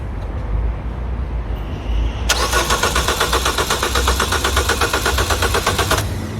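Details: Citroën DS3 that won't start when cold but starts fine in warmer weather: starter churns at about four even beats a second for nearly four seconds, never fires. Owner suspects coolant temperature sensor; disconnecting Valvetronic helped somewhat.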